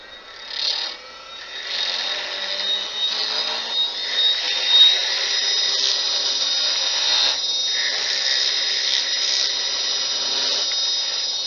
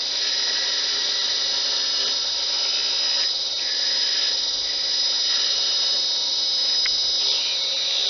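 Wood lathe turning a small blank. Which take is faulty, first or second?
first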